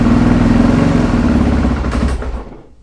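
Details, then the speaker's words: 2008 Suzuki RMZ450 after total rebuild and auto-decompression fix, started in four or five kicks: single-cylinder thump sags and dies within about three seconds; idle set a little low, won't hold idle yet. "Okay, it does not want to idle yet. That's a problem for another day."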